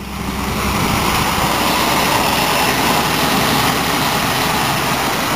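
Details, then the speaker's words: 1980 Ford Mustang, 200 CI inline six with manual choke, glass pack and stock exhaust manifold: steady, even idle with deep exhaust rumble, no knocks or misses; smooth running. "If you can hear the exhaust or not. That's what it sounds like with the glass pack and stock exhaust manifold."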